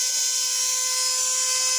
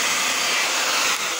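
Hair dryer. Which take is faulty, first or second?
first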